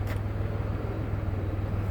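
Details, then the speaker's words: 2001 Pontiac Grand Am with a head gasket leak and earlier cylinder 3 misfire, after IronTite treatment, idling about 15 minutes and not yet at temperature: low, fairly even idle with a faint uneven pulse; sputter and smoke are reduced. "Supposed to let it sit, reach temperature, and then take it for a drive, but you can already hear the difference. It doesn't sound like it's sputtering as much."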